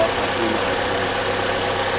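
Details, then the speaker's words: 2003 Chevrolet Cavalier right after engine, transmission and exhaust manifold swap, first start with oil/WD-40 burning off manifold: steady even idle, no ticking or puffing; manifold sealed, sounds healthy. "Sounds like the manifold is sealed well. Yeah, I don't hear anything."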